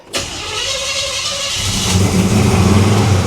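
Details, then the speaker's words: 1974 Chevy El Camino V8, first start after swapping in a newly installed setup: starter whirr, catches and flares to a fast steady idle way too high; throttle linkage likely stuck open, no vacuum leaks. "oh that's that's that's not right that was way too uh way too high"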